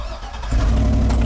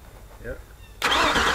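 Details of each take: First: Auction truck, only one of four keys (two aftermarket) works, all crank: quiet, then the engine catches and settles into a steady, strong run with no misses or stumbles. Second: Auction truck, starter relay pulled and jumped with test tool: starter cranks steadily in two long bursts but engine never catches; ECM not activating relay, multiple issues.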